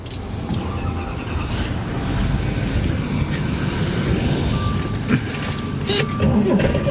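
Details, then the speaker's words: 1969 Corvair (paperwork says 69) flat-six, unrun for years: with carburettors flooded with cleaner spray it catches with a rough, uneven rumble only on the spray; no-start from fuel starvation, gummed idle passages suspected. "okay so we know we got a lack of fuel now all we got to do is figure out why"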